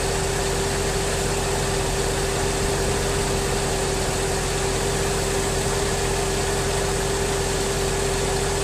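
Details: 2003 Mercedes S55 AMG, about 186,700 miles, idling after Active Body Control/power steering hydraulic pulsation damper replacement; failed damper causes hydraulic whine near 2000 rpm; steady clean pump tone, no groan, chatter or surging: normal idle.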